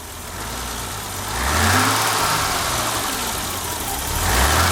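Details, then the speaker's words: 1988 BMW 325i, first time running on its own after six years in storage, following replacement of a locked-up fuel pump: engine catches and settles into an even, smooth idle with gentle blips, no misses or knocks. "Wow, that sounds smooth. Oh my gosh."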